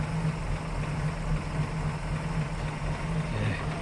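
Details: 1933 Hudson Terraplane six, all original: low soft even burble about three and a half pulses a second, no misses or knocks; healthy normal idle.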